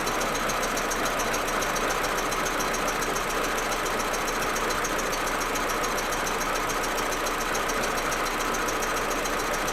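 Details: Audi A4 1.8T petrol engine idling cold: uneven, stumbling misfire beat under a busy clattering hum. It runs smooth once warm; plugs, coils, ignition amplifier and many vacuum hoses already replaced, and owner wonders about injectors or carbon buildup.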